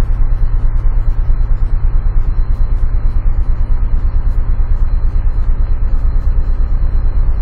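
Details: 2004 Chevrolet Trailblazer 4.2 idling with no misfire codes; after swapping coils 2 and 4 the misfire stays on cylinder 4; lumpy rocking idle near three pulses a second with regular dips, steady misfire blamed on a faulty ignition coil.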